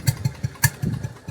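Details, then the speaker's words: Stuart generator engine test-run with no fuel system or cooling water rigged, after petrol ran from exhaust and owner suspects flooding; air cap opened, about six uneven pops that almost catch then die, engine fires briefly but will not start. "Oh, so close to it. Come on. Come on, baby."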